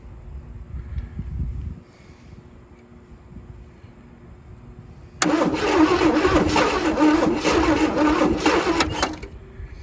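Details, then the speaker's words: Abandoned 1977 Chevy Camaro on booster: quiet uneven turning, then rough, loud cranking that catches briefly but never settles into a run. Carburetor suspected clogged, needs cleaning. "All right, guys, I really think the carburetor needs to come off, be Yeah. cleaned out."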